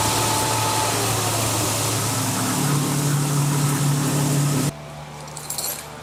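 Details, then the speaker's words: 1999 Jeep Cherokee Sport started with AC on max after PB Blaster soaked into the squeaking AC compressor: no squeak on startup, steady even idle with smooth low hum and no chirp before shutoff. Normal idle after the fix. "So now I had the AC switch on max when I started and no squeak on startup. And now you can hear uh all of that has gone away."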